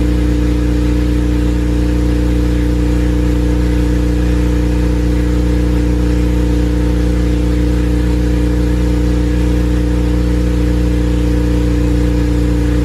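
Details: Honda Civic Si with a freshly built K20A engine, new exhaust and modified wiring harness, first run with laptop logging data: deep, steady engine note holding an even speed with no knocks or misfires; the engine runs normally. Coolant described as kind of hot afterward.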